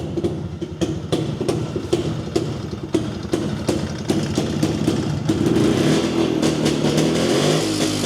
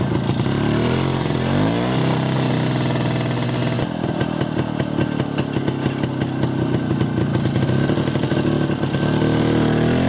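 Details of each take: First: Jawa 250 two-stroke, first run after opening the engine for heavy smoking after a dyno run (gasket failure suspected), not yet warmed: uneven popping smoothing into steadier idle with blips; still some smoke, but less than before. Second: Jawa 250 two-stroke after engine teardown and rebuild (heavy smoking after dyno, suspected failed gasket): crackly low-rev rattle then firm, fairly even beat; carb tuned with self-drilled ~0.66 idle jet and 95 main jet, now responds well at low revs and doesn't hang at idle.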